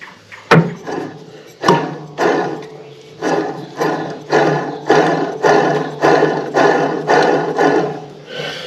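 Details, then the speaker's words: Scag Wildcat mower, transmission belt removed, idler pulley spun by hand: rough gritty rumble swelling and fading about twice a second; worn idler pulley bearing, idlers and a new belt planned. "and that idler is noisy too so yeah I think we ought to see about getting a couple idlers and maybe while we're added a new belt let's pull this thing out look at it"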